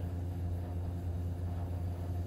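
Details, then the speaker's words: Newly installed AO Smith BTR-500 boiler, Honeywell gas valve replaced twice, about 7.5" WC: steady low burner roar still burning 20 seconds after power off; gas passes the valve, which appears reversed, and stops only when the gas is shut. "yeah it's been 20 seconds the gas is still flowing and it's burning"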